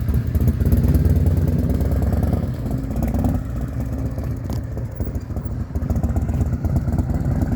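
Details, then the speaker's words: Harley Evo V-twin motorcycle after a blown-motor rebuild (new motor, cam breather gear, Torrington bearing, stator, motor braces), riding away: a deep, loping, smooth burble that pulls away and fades evenly, with no knocking or clatter. Running normally. "what a good day sounds like a million bucks this this motor is like really [ __ ] nice oh yeah real smooth running real good"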